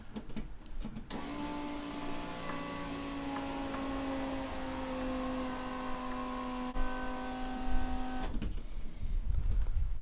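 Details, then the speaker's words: RX 323 restoration, key on, engine off: electric fuel pump primes with a steady hum, tone shifting slightly, about seven seconds then stops; fuel pressure about 3 to 3.5 bar; normal. "I'll just you hear the pump change note with cycle that again"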